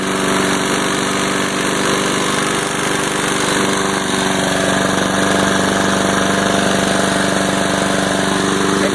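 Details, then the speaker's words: Lawn mower small engine after a makeshift carburetor fix for runaway over-revving (throttle tied down, air filter off): smooth, even beat holding just above idle with no hunting or surging; the repair worked. "it's staying right at the city a little bit higher than idle but it's holding it"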